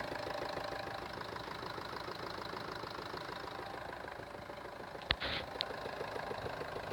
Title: Knocking sound......